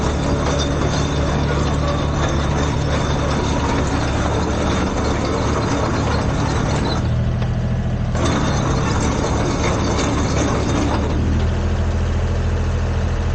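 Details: Komatsu PC10-3 mini excavator small diesel: low steady thrum at low idle, constant slow speed with no knocks or surging, enough to keep battery charged.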